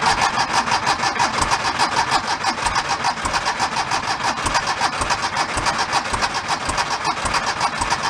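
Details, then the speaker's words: 1976 Porsche 914 station wagon, long parked, cranked with fuel dripped in because fuel injection not expected to work: rough uneven chuffing about three per second, barely catching; sounds like only one cylinder firing; misfire on cranking. "I'm gonna give a little bit more and then we're gonna look into only firing on sound like one"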